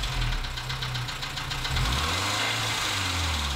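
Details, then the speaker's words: 2014 Dacia Sandero, D4F 1.2 petrol engine, at a rough idle with a throttle blip: an uneven rapping knock that swells with the revs. Low oil and a possible spun bearing are suspected; the cause is not yet found. "okay so you've been watching part one of diagnosing a loud knocking sound on this 2014 Dacia San Diego with the d4f engine"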